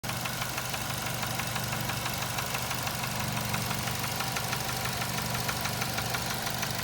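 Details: 2007 Nissan Tiida 1.6 automatic: sharp metallic knocking about three times a second over steady idle, a characteristic internal engine knock; engine replaced with a used contract engine.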